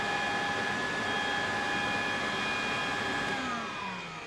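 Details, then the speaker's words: Refurbished Electrolux Z504 vacuum cleaner running after refurbishment; smooth, steady high whine with even airflow rush, then a clean wind-down when switched off; normal running. "sound in sweet running sweet looking sweet facelift finally put on after all this time there we go it is now original and just sounds amazing"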